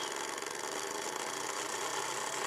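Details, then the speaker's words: Small 3 V brushed DC motor at 5 V driven by Arduino Uno PWM through a 2003 driver: steady even high whir with no catches or surges; running smoothly. "Notice how nice and slow and smooth the motor starts."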